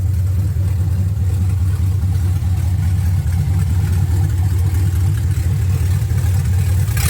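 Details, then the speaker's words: 1979 Camaro LS-swapped V8, restarted after reading and clearing codes, 158 degrees, no exhaust pipe yet: deep steady burble, even beat, no stumble or knock; idles cleanly, throttle body blade screw still needs slight adjustment. "There we go. Perfecto now. I need to turn the throttle body blade screw back up a little, but that's it."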